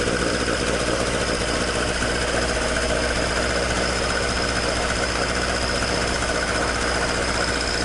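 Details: Toyota AE86 with 4A-G engine after exhaust leak repair, stock exhaust: a steady, even four-cylinder burble with no puffing or ticking at the manifold. Normal, sealed exhaust note.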